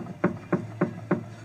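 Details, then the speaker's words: Steering rack checked on a lift by gripping the rack shaft and jerking it up-down and side to side: four dull even knocks about three a second from play in the worn tie-rod joint or rack bushing; needs urgent repair. "Потом удерживаем рукой вал рулевой рейки, сначала вот тут, а потом тут, и дергаем вверх-вниз, туда-сюда, сильно. Если есть хоть маленький люфт и стуки, вот такие,"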